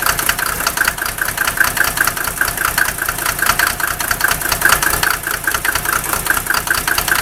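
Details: Mercedes OM603 diesel, cold start: very rough, lumpy clattering idle with cylinders missing about twice a second; smoke drops only when injector lines 2 and 6 are cracked. Glow plugs read 0.5 ohms with battery voltage; idle stays rough when warm, cause unconfirmed.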